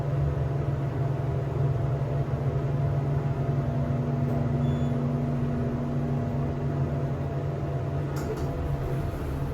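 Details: Elevator machine room after a modernization a few months earlier: the SEIM screw pump runs very noisily, with a constant low drone and a steady mid-pitched whine on top, unchanging throughout; cause unknown.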